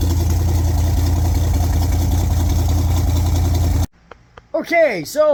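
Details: 1974 Lund Tempest II GT jet boat V8, newly bought and finicky to start. Deep, even rumble holds a steady idle for about four seconds before shutting off, with no misses or clatter; it runs normally.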